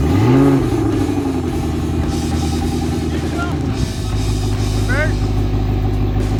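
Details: Used outboard, about 8 years old with over 300 hours, unrun for years, newly mounted on boat: catches and holds a steady, even drone shifting into forward then reverse, no knocks or misses.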